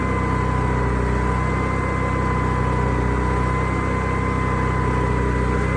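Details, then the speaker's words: Onan generator engine running smoothly with a steady, even drone after adding an inline fuel filter and restoring fuel; noticeably quieter with the side cover on; normal running. "all right let's start it up and then notice how much quieter this is when I put this side cover on"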